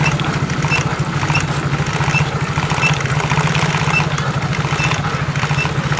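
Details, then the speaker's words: Yamaha X-Ride scooter idling with a steady rapid knocking from the CVT side while the rear wheel turns without throttle; CVT knock and drag. "Oke teman-teman, jadi penyakitnya seperti ini. Suaranya pun godok-godok seperti itu di bagian CVT. Nah, rodanya pun juga ikut muter."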